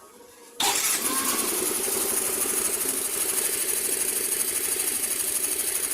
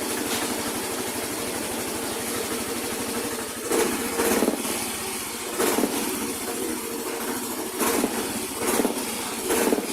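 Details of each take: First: Scooter after CVT dragging/vibration fix (stuck flyball reseated): engine starts and settles into a steady, even idle with no shudder or uneven beat; normal idle. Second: Yamaha Mio i125 / Soul i125 scooter CVT with dragging and strong vibration: engine surging in uneven pulses about once a second; cause found to be a flyball roller weight jammed in the variator, not a worn part or clutch spring.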